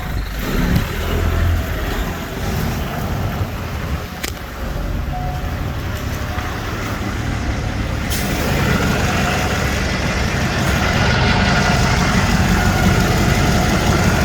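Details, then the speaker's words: 2008 Chevy 6.6L Duramax turbo diesel from a Chevy Express school bus, 108,833 miles, with the oil cap off: steady low diesel clatter at an even idle with no misses or knocks under some outdoor noise. Very smooth, quiet, zero blow-by. Normal diesel idle. "Very smooth, very quiet. Absolutely zero blow-by."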